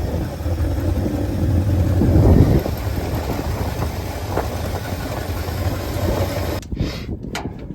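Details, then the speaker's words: 1971 Ford F250 V8 started after 9 years sitting, running on a junk carburetor while still charging: deep, fairly even idle rumble around 650–800 rpm that holds steady without stalling or surging and is improving. Normal idle. "Sounds pretty good. Still charging. Idle's about 800. Maybe 700. It's getting better."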